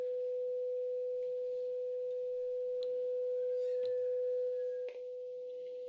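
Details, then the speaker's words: Graetz Comedia 616 tube radio after capacitor replacement, first power-up: generator tone at reduced amplitude fed into power amp tube plays clean and steady, no buzz or distortion; output stage passing signal properly. "I have a pretty good signal coming out of there as you can hear. Actually very clear. It doesn't seem to be distorted at all."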